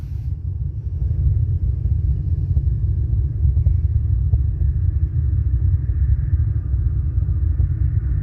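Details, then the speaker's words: Two Soundqubed HDX3 12-inch subwoofers on a Taramps MD 5k amp, head unit volume at zero with slight gain, mic by the port: constant deep rumble with the cones moving slightly; subwoofer rumble with no signal, source unknown. "that's with no volume on the head unit and some slight gain [Music] the speakers are actually moving slightly"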